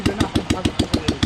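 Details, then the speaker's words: 1997 Royal Enfield Bullet single with CI engine, freshly rebuilt, first start: starts quickly into an even, steady thump about seven times a second with no knocks or rattles; normal idle. "और चूंकि यह इतनी जल्दी शुरू हो गया, इसका मतलब है कि बाइक एकदम सही है। बिलकुल, कोई समस्या या परेशानी नहीं है।"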